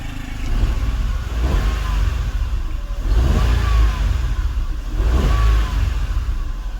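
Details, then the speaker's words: Nissan Almera 1.2 three-cylinder with earlier stumbling, after injectors and spark plugs refitted: three clean throttle blips, revs climbing and dropping smoothly with no stumble; normal revving after repair. "จะไปดูอาการเครื่องกันหน่อยเมื่อเครื่องเดินนิ่มเลยครับ"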